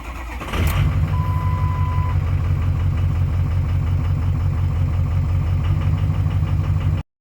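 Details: Ford 6.0 Powerstroke diesel with a crank-no-start problem, solved: short crank, then catches and settles into an even, steady low idle clatter with no misses; normal start and idle.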